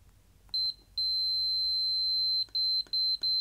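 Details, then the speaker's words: Meter continuity test on a KSGER T12 soldering station's metal enclosure, modified to add a safety earth, probing the ground-bare countersunk holes. A clean high-pitched beep sounds in steady bursts at every touch. Good earth contact. "we have a definite continuity no matter where we touch inside those countersunk faces"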